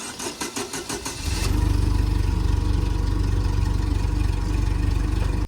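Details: 2010 Doosan propane forklift, 3,353 hours, after turning the mixture screw: cranks about a second, catches at once and settles to a steady, even idle, where before it cranked about 30 seconds. Normal quick start.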